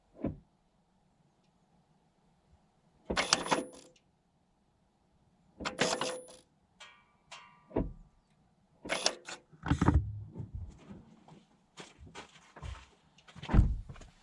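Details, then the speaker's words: LADA Vesta SW Cross 2020, 1.8 engine, AMT 2.0 robotized gearbox with Sachs actuators, 28,100 km, ignition on: short clicks and whirs for each shift reverse, first, second, back to neutral, no squeal; normal actuator shifting. "и вернулся в нейтраль то есть вы слышали переключение"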